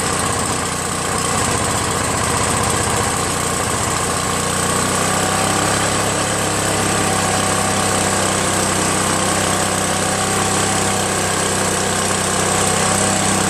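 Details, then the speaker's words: Free Craftsman 5.5HP 26" OHV snow blower after two carburetor cleanings, governor linkage adjustment and recoil starter repair: catches on choke and settles into a smooth, even, steady run with no misses or knocks; normal running. Idle screw still needs raising, since it stalls when set halfway. "Sounds good, doesn't it?"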